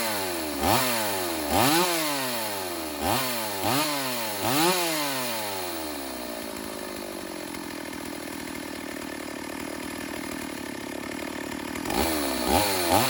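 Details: Stihl AV 028 Woodboss Super chainsaw, after a fuel line and filter replacement and a rough carb tune to cure lean bogging: crisp revs rise and drop cleanly, then it settles into a smooth steady idle with no bog. It runs properly.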